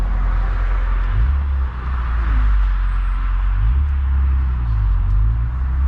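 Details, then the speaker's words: BMW E46 M3 with new rockers and 272/280 CatCams, on its first full rev-out on the road after a 1200-mile break-in held to 4500-5000 rpm; valve cover check found no damage. Deep, heavy roar rising and falling with throttle, smooth, no ticks or knocks. Healthy engine. "running oh boy that sound never gets old it just proves that you can't drive this car revving to like four and a half five thousand rpms you gotta you gotta you know rev it all the way out"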